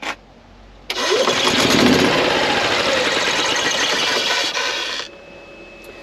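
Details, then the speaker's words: Sluggish, labouring crank of about four turns a second for four seconds with no catch on a 2016 Yamaha petrol golf cart that starts slowly or sometimes not at all; battery drops to 8–10 V under load, so it is the weak battery. "that battery is clearly the issue and that is the quickest way to load test your battery and see if it is your starting issue or not"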